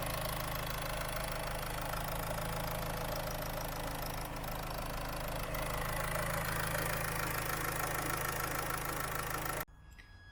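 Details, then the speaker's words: Land Rover Freelander 2 diesel held at about 1800–2000 rpm for a couple of seconds during a Wynn's diesel injector purge; fast, even rev with smooth clatter and no misses, then drops away: running normally. "I'm just gonna rev it up to maybe 2000 RPM or 1800 RPM, hold it for a couple of seconds, and then I'll do it again."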